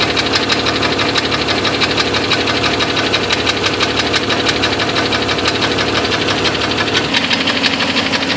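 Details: Jeep 4.0 petrol engine running: sharp, regular ticking knock, about three a second, caused by a broken piston.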